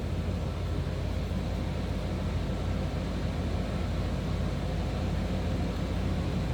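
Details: 1994 Chevrolet C1500 Silverado, 5.7-litre V8, automatic, 115,837 miles, just after a cold start with good oil pressure. Deep, even rumble at idle with no knocks, ticks or misses: a normal, healthy idle.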